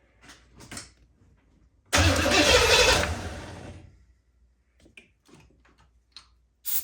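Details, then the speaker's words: 1984 Corvette 350, Crossfire injection swapped to Edelbrock carburetor, fuel pump disconnected, no antifreeze or belt: brief two-second crank and sputter on ether, then dies; no fuel supply, no start. "no fuel no fuel the fuel pump's disconnected in the tank so we're going to just see if everything turns over the way it's supposed to"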